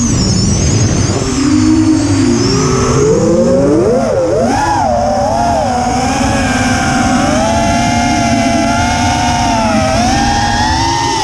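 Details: Quadcopter in flight after switching to TBS Bulletproof 25A ESCs (signal cap removed, DShot600) and Betaflight 3.1.0-RC5, with lowered PIDs: throttle-following motor whine with an odd warbling buzz over it; unchanged by demag, timing or DShot300, cause unknown.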